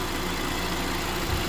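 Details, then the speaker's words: 2022+ Honda Civic LX 2.0-liter idling with belt back on: steady, even idle with no squeal, chirp or ticking; the earlier noise has not returned. "We're gonna start the engine and take a look again and listen if that sound is back. So seems like it's okay. Seems like it's okay."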